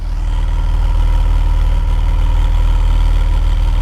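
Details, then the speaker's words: BMW E46 330i, M54B30 inline-six with new performance camshafts, before break-in and tuning: deep, loping choppy idle about three beats a second from the cams. Lumpy cam idle. "let's hear that choppy idle you can actually hear the camp so the idle is definitely not going to be smooth with this thing"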